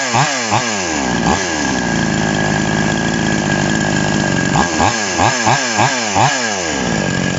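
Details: TOMITSU 5800-body two-stroke chainsaw, just after initial carburetor adjustment with a screwdriver: crisp snaps from idle to high revs dropping back cleanly over several quick blips; healthy and responsive.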